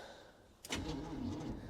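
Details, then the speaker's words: 1947 Chevy with 350/TH350 combo and air ride, sat for years; battery showing 12 volts but no good, on jumper cables; starter whirrs and labours through a slow, dragging crank; slow cranking from weak battery. "shows 12 volts that battery is no good well it's slow cranking but i think we're going to go ahead and try anyways"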